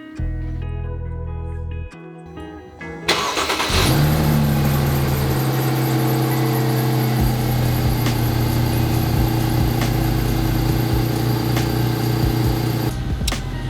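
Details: Mercedes C300 W204 after spark plug replacement: short crank, then the engine catches and settles into a steady, even idle with no misfire, though music plays over it; normal start and idle.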